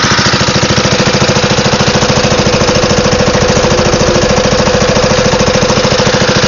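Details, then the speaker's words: Wisconsin AENLD engine (built by Ronaldson and Tippett) driving a Pacific pump on a NSW Bush Fire Brigade Land Rover, moving a lot of water: steady even chug, no knocks or misses; normal running under load. "Lovely engine this. Just chugs along, moving a lot of water."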